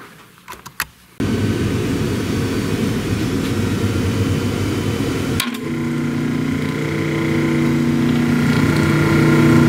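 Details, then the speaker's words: Motor of a restored 1930s Delta DP220 drill press with brand-new bearings, slight play remaining: it spins up to a smooth, steady hum with a clean, even tone and no grinding or knocking; running healthy. "Yeah, what a good running motor. What a good running motor."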